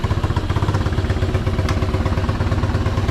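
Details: Unidentified, probably Chinese, four-wheeler on first crank: an even, low thumping idle with a steady beat and no misses or knocks. The small single is running smoothly and healthy.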